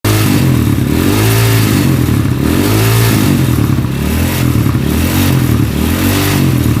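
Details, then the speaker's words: Honda CB motorcycle with stroke-up engine, vibrating badly and running rough; loud idle with rough, uneven clatter, loose cam chain tensioner heard at the cylinder head. "sekarang bisa kita dengarkan bahwa itu ada ke medik ya di bagian kop nah cakep menitip seperti klaker noken as sekocak seperti clave noken as gojek bahwa disini disini klaker noken as He kocak parah ya di sini"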